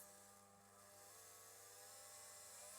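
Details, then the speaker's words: KTM RC 390 build, electric fuel pump rated 120 PSI, driven by the MaxxECU through a pressure regulator, reading 280 PSI: a thin steady whine rising in pitch as it labours against excessive pressure; a fuel leak follows from the overflow. "Oh, it's pressured. You can hear it laboring up."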